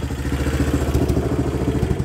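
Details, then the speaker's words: 1986 Kawasaki Bayou 300 ATV running a late-80s GM HEI ignition module as a substitute CDI, carb idled up: fast idle thumping unevenly with irregular spits and sputters, which the factory CDI doesn't do, because the module has no advance curve. "now it will spit and sputter a little bit that idle here you can kind of hear that spit sputter a little bit it doesn't do that with the Factory CDI but it's just because this this module AGI ignition module can"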